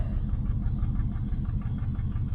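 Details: 1968 Nomad with side pipes at idle: low idle with one pulse regularly dropping out. It has had a misfire since day one that is less noticeable at higher rpm. The code reader may not be working; cause unknown, compression test being done.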